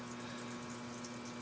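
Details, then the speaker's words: Home septic effluent pump running after its float is lifted by hand, following a high-level alarm cleared by power-washing debris from around the pump: steady, even hum with water rushing, no knocking or rattle; normal pump running. "so hopefully you can hear that pump running so my case i got a little lucky just by using the power washer and spraying that"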